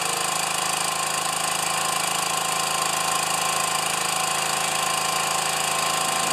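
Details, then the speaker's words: Pressure washer, first start since last year, small connector leak, unloader working: smooth, even small-engine drone at constant speed with no misses, knocks or surging; runs well, normal running. "come with me that's good the pressure washer runs good"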